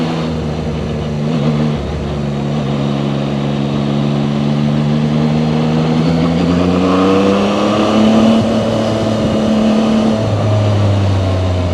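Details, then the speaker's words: Zontes 703RR inline-three at about 9,500 km, riding slowly in second gear: engine note rises and falls at low revs with a buzzing edge from the engine, without vibration. "There's some buzzing when I go slow in the second gear. I hear some buzzing coming from the engine. Uh it doesn't have any vibrations."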